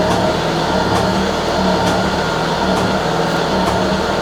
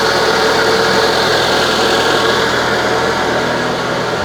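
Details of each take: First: Citroën BX after hydraulic work, pump probably emptied, suspension set to high and rising: steady hum with uneven light ticking about once a second; the system is low on pressure and still building it. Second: Citroën BX with a replacement suspension and brake hydraulic pump, just started while the pump is probably still empty; even, steady mechanical whirr with a light rattle and no grinding or knocking; much quieter than before, pump running normally.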